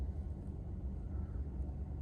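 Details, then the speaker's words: 2009 Mazda 3i, heard from the rear at the tailpipe, no check-engine or transmission warning lights: soft, steady low rumble with no misses, ticks or surging, a smooth normal idle with no vibrations or odd noises. "Once again, a very smooth running engine. Climb back out. All right, so as you guys can tell, this vehicle is currently running nice and smooth, no vibrations or odd noises."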